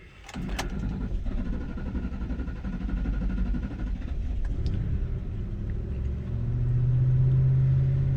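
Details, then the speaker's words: 2012 Ford Expedition EL 5.4L V8, parked several hours, after seven-second prime: starter churns about five to six seconds before catching to idle; hard start caused by two leaking injectors bleeding fuel pressure, fixed by replacing all eight injectors. "it took it about five six seconds to start that was a quicker one sometimes it takes up to 13 seconds it does always eventually start and once it starts it runs good"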